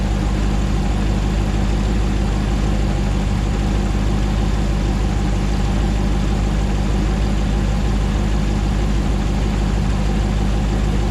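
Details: 2009 Hemi 1500 TRX4 auction truck, first start after months of rebuilding, about 87 psi oil pressure: deep, steady V8 idle, even low rumble, no stumble or hunting while warming up, no longer jerking like before; normal idle.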